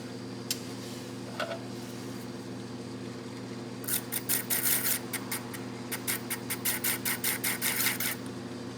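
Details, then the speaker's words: Accu-Finish grinder with new 30-degree reverse-angle diamond disc on aluminium plate: even steady motor hum, no wobble or pulsing, under handling clicks; wheel running true, to be checked with indicator. "that sounds like it's running pretty true let's get the indicator on it see if we can get an indicator reading on it"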